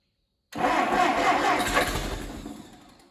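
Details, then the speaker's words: Allis Chalmers D17 tractor, first start attempt of the engine in the chassis, choked, throttle all the way back: quick steady cranking, about four turns a second, fading without catching. Owner suspects it needs a little more throttle. "Almost sounds like I need a little bit of throttle to that, just to be honest."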